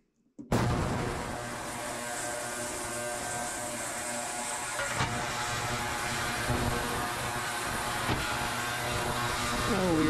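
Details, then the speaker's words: Ultrasonic cleaner cleaning parts, heater off: steady harsh hiss with a high buzzing whine, even throughout; not a pleasant noise but working normally. "So I'll turn it on. You can kind of see how it's not real pleasant of a noise, but I don't know what the camera will"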